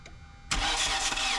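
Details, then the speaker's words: 2011 Kia Soul 2.0 L with a misfire and low compression on cylinder 2, cranked with the valves exposed before head removal: the starter kicks in with a loud airy hiss as air pushes back in. "I'm pretty sure you could hear that. Sound like air pushing back in."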